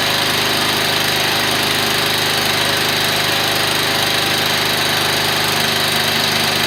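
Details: Briggs & Stratton engine in a garage build, on a temporary exhaust: fast, even single-cylinder bark at steady speed, loud through the short exhaust, no misses. Normal running.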